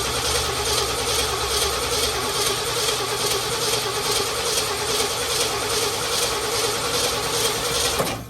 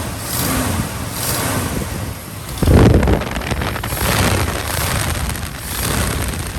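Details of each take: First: 1967 Ford F-350 Custom that sat about 10 years, cranking after the ignition points were opened up: steady starter churn with metallic clatter and no firing pulses; coil not producing spark, so it cranks but will not start. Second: 1967 Ford F-350 Custom that sat about 10 years, running on its old uncleaned ignition points: catches and settles to a fairly steady low idle with wind buffeting, no knocks; normal idle. Carburetor accelerator pump diaphragm leaking badly.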